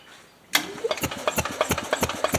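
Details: 1977 Harley-Davidson golf cart, 250 two-stroke, after years of sitting, key switch bypassed, spark confirmed; starter turns it over with an even chuff about nine beats a second but it never catches; cranks but does not start, points likely dirty.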